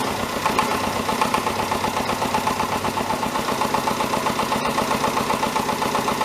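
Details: David Brown 1490 diesel tractor idling after an engine rebuild, first run: a hard rhythmic knock about four beats a second, sharper than normal clatter. Owner suspects a fuel injection knock; injectors are being reconditioned.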